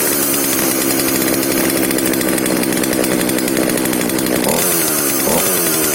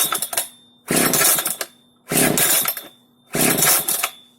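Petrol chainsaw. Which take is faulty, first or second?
second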